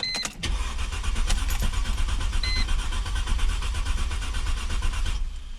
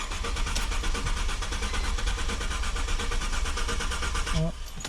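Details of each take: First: 2002-2007 Mercedes C240 W203 M112.6, after replacing burnt 15 A ignition coil fuse #48 that caused crank-no-start: short crank, catches at once, smooth steady low idle with no misfire or stumble; fixed. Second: Mercedes-Benz C240 W203 (M112), cranks but won't start: starter churns at an even rapid beat and never catches; fuel pump and relay fine, cause a blown ignition coil fuse, number 48.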